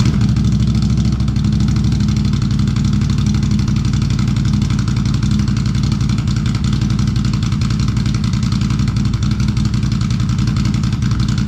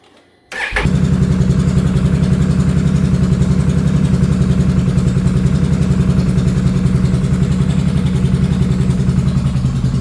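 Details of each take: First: 2022 Can-Am Renegade 1000 XMR V-twin ATV idling steadily with both cylinders firing again after a wiring repair fixed an intermittent misfire that cut it to one cylinder. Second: 2022 Can-Am Renegade 1000 XMR V-twin starting and idling with a lumpy, uneven pulse; the front cylinder misses intermittently because its spark plug boot, degraded by mud and moisture, arcs to the engine block.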